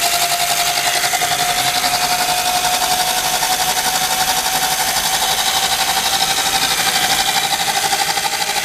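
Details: Single-speed electric bike kit conversion after repositioning the single-speed tensioner to stop the chain skipping on the 20-tooth sprocket under high load: steady mid-pitched motor whine under throttle, smooth even drive with no chain clacking or skipping; running fine.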